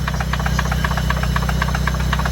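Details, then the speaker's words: Nissan Silvia S14 turbo on E85, first test drive after the build: sharp rapid knocks over a low steady engine drone, a clear knock from inside the engine, source not yet found. Oil was found leaking heavily from the valve cover onto the injectors. "今ちょっと変な音してて何この音。"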